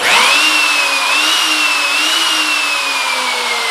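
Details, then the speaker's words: Makita 3600B router after replacing its screaming bearings: smooth, steady high-pitched motor whine that eases slightly in pitch, no grinding or rumble; running normally again. "on that router base this router is up and running and back in action now"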